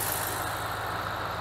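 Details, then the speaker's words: 2010 Ram Hemi V8 with fault code P0305, after fuel injector work: steady, even idle with smooth low rumble, only injector clicking, no stumbles; runs normally, code not yet returning. "I just want to show you or let you hear the engine sounds really nice and smooth right any clicking you here is just the injectors"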